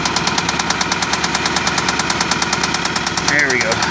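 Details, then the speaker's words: Vandalized Hyundai at auction, bubbling exhaust gases in radiator suggesting blown head gasket: sharp even rapid tapping about ten per second over idle, sounding like top-end lifter-type noise rather than rod knock; cause suspected, not confirmed. "it's not a rod knock sounds more like I mean it sounds kind of like a rod knock but it's not that's like a top end that sounds like a top end type of deal"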